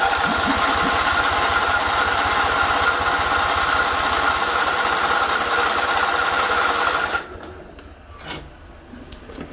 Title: Kohler CV20S Won't Start